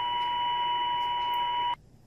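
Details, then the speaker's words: Ham radio receiver on 160 meters with the Anet A6 3D printer's unchoked USB cable plugged in: a steady whistle-like tone over a buzzy hiss fills the receiver, then cuts out abruptly; interference radiated from the USB cable. "here it is on 160 meters plug the cable back in and it immediately comes back"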